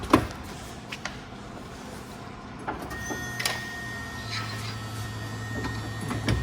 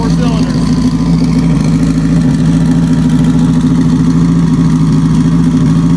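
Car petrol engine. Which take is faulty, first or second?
first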